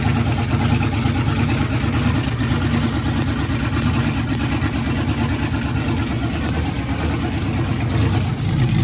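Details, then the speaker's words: V8 in a new NBS single-cab truck build with Holley ECU and 60 psi fuel pressure, first start: deep, loud rumble running steady at a fast idle with no knocks or misses; motor started and running fine. "Got the motor started, a little beer."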